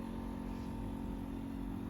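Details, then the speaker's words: Rolls-Royce Corniche convertible that sat 14 years, ignition on with engine off, low fuel: low, steady electric hum of the fuel pump priming fuel to the front; owner thinks it may be labouring on low fuel. "Hear the pump kicking in? Yes, the pump working the fuel to the front."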